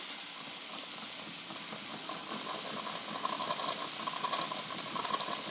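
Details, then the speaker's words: Wilesco D20 toy steam engine, reactivated after long disuse, running in reverse after knocking in the other direction: much quieter, soft steady steam hiss with light even chuff and no knocking; normal smooth running, fire good, water glass half full. "Much quieter again. Must be valid."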